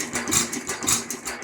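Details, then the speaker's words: Lauson 2hp hit-or-miss engine after cam gear replacement, after trying timing advance lever: slow heavy uneven thumps about every half second, rattly top end; rough running, black smoke puff each firing, owner suspects running rich. "I wonder if she's running a little rich I see it Puffs black smoke every time it fires"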